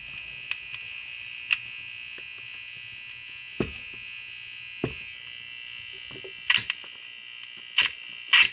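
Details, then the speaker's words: Hallicrafters clock radio under restoration, previously reworked with a non-original electrolytic capacitor: steady high buzz with crackles and clicks and no station, no antenna connected; receives poorly once a wire is hooked up. "there's no antenna connected this thing well i'm not going to pick up thing without an antenna so let me see if that makes an improvement let me uh hook something up here all right well it does kind of work even though albeit poorly and it's barely bearable"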